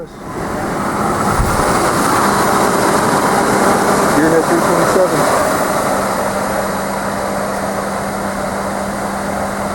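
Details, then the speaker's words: 1995 Nissan D21 pickup after the ignition starter switch was replaced to cure intermittent buzzing no-start: smooth even idle, steady low hum, no stumble or buzzing; working normally. "I don't know if we'll be good for another 25 years but it's it's working for now"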